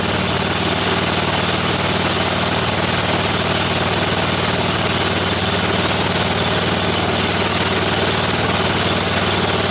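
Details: Snowblower small engine on a final run after its tire repair, before returning it to the owner. Even, steady drone with a constant beat and no knocks or surging; healthy idle.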